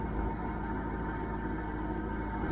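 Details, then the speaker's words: Church van idling after exhaust repair, with the exhaust now exiting properly: steady, even low idle with a smooth beat and no puffing or ticking from the manifold; healthy normal idle. "it actually does sound pretty good this fan always had a decent sound to it but i think it sounds better now"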